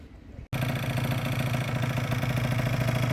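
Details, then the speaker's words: 50cc two-stroke scooter with original airbox refitted, 86 main jet and Koso variator, running hot: starts and idles with an uneven, slightly lumpy beat, still poor when hot; owner suspects the cylinder. "Still the same symptom. You want a little better especially when it's hot."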